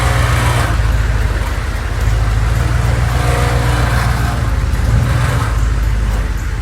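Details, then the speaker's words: Humvee diesel driving after tightening both bolts on a moving part to cure an earlier noise: steady low drone with road noise, no rattle or clunk on take-off; driveline solid, noise not returned. "we'll have to see if this noise comes back so i just backed it out i didn't hear that noise noise"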